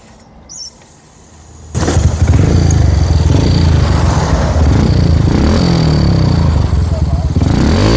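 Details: Yamaha Jupiter Z (old) / Vega R New, test run after refitting the carburetor: engine catches and runs with an uneven, wavering beat that sags instead of pulling cleanly, growling and bogging at mid RPM (40–60) from a faulty carburetor.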